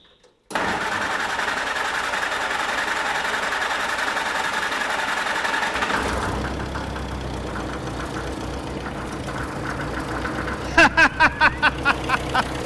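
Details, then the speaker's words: 1946 Jeep CJ2A flatfender with new fuel tank, carb plumbed, no cooling or charging system hooked up, broken exhaust: cranks briefly, fires at once, settles to fairly even steady idle, slightly raw note, no knocking; smokes heavily but runs smoothly. "This thing's like, it runs awesome. It just purrs like a kitten. What a great little Jeep."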